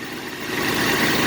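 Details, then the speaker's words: Dodge wagon V8 running again after being unlocked, with the carb bolted on and quick temporary ignition wiring: short, steady, smooth run with no knocks or misses; normal idle. "But just a little update. Success. It's running."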